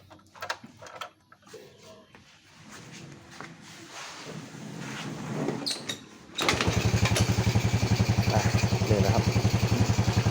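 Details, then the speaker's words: Honda Wave 100S, 20+ years old, after repair for black smoke and frequently fouled spark plugs (cam chain and valves done, original cam): starts and settles into an even putter, smooth steady idle, possibly a slight stumble; normal idle. "เดินเบานิ่มๆเลยนะลองดูนะครับลองดูนี่นะครับนิ่มๆเลยนะครับมันอาจจะมีสะดุดนิดๆหน่อยนะครับอาจจะเดินไม่เรียบสักเท่าไหร่นะ"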